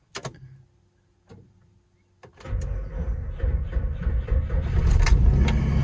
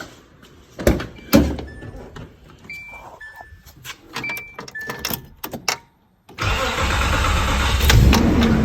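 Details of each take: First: 1995 Nissan D21 truck, V6, automatic, with new battery and clean connections: a few short sluggish cranking bursts before it barely starts; slow cranking from a worn starter, later replaced. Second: 1995 Nissan D21 V6 automatic after replacing a slow-cranking starter (new battery hadn't helped): quick, even cranking catches and settles into steady idle; spins over much faster, old starter was the problem.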